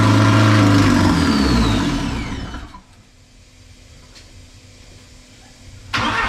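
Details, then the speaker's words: Porsche 944 with 1.8T engine swap, first start on temporary wiring and fuel pump hookup; loud raw open-pipe roar holds about three to five seconds then dies; freshly swapped engine fires and runs on first start. "that's all that's on that board is just to get it started for a few seconds and it did and that is amazing"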